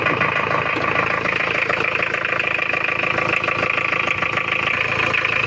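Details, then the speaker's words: Mitsubishi Challenger 4M40 diesel, Japanese import, recently overhauled, with weak power and oil spitting: harsh, uneven idle with hard clattering about four beats a second; rough only at idle. "Ini kita dengarkan untuk bunyi mesinnya ya lor. Suaranya sangat kasar sekali ya lor."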